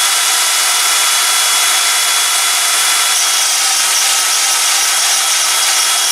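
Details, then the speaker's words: Ozito DBS-095 drill bit sharpener running: steady high-pitched grinding hiss with a faint whine on top, holding even throughout while grinding a bit; normal grinding. "Not going to talk because you probably wouldn't hear much anyway. It's not particularly loud, but it's loud enough to be annoying."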